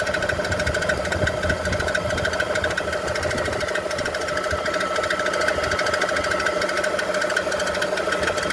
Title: what may this knocking sound be on bmw e46 330i automatic